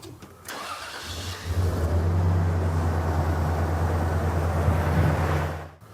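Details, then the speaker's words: Fuel rail pulse test with pulse sensor on the fuel pressure regulator vacuum port, scope synced to cylinder three injector: engine cranks, catches and runs a lumpy, uneven idle with a rhythmic stumble, injector number one unplugged, one cylinder dead. "i have injector number one unplugged so let's start it up and see if we see a difference in our waveform"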